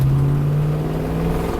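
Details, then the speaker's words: Ford OBS Bronco, likely 302 with Performer 289 intake, after maintenance and camshaft adjustment set from 2 to 1: short throttle blip, firm steady low drone revving crisply without stumbling; runs much better than before. "Oh yeah, this thing did not run like that before. I mean, it's been a year since I've driven it, but that's much better."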